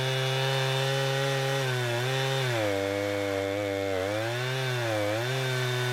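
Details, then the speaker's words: Husqvarna 455 Rancher two-stroke chainsaw with about 4 hours total runtime, previously running rough after warm-up, now after ignition coil replacement: strong scream sagging and recovering smoothly with each cut, never stumbling or cutting out. "She runs like it's supposed to. Never once did it stumble or anything like that. It was the coil, and I'm happy with it."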